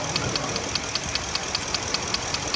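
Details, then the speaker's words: 2015 Ford F-350 Super Duty 6.2L V8 at idle, setting knock code P06B6: sharp, even ticks about five per second as the number 5 ignition coil boot arcs to the head, revealed by spraying water between boot and head. "you can clearly tell the difference before I sprayed the water and after I sprayed the water."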